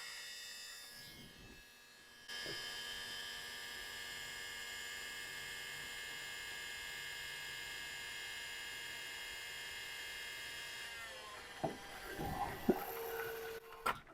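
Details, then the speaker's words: 1996 Ford F-250 7.3L Powerstroke with newly installed custom electric fuel (E-Fuel) system, front tank; pump whine starts quick and high-pitched, then drops to low pitch as it pulls fuel; normal priming. "so you heard the change in the pump all right you could hear it go from very very quick and high pitch to you know very low pitch"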